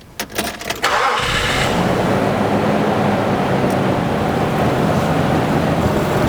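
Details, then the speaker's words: 1999 Nissan Pathfinder, still faulty after $5,000 at another shop, mic beside EGR valve: engine catches into an uneven, loping rough idle with loose clanking rattle; large vacuum leak at the boot after the airflow sensor plus broken EGR valve pintle. "Now we got it starting to run rough. Got the headlights on. I'm going to put my microphone right next to the EGR valve. You can hear it clanking around in there. The pintle is broken."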